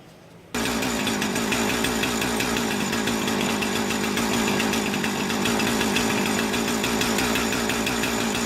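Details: Husqvarna 455 Rancher chainsaw after sharpening, cleaning and repair, oiler test run; fires right up, steady high buzz, no stumbling or surging, normal running.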